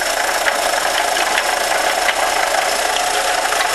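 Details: 1998 Jetta 2.0 petrol engine at idle: faint irregular knocks about two a second over a busy top-end clatter, seeming to come more from one side of the engine; source unknown; engine knocking.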